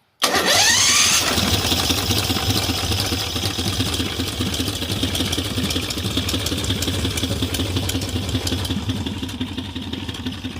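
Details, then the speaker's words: 18 HP V-twin minibike engine with stock carburetor, started by electric start button: starter whirs briefly, engine catches at once and settles into a very low, even idle with no knocks or misses. Normal start and idle. "And she's running. It's just idling so low that it hardly picks it up."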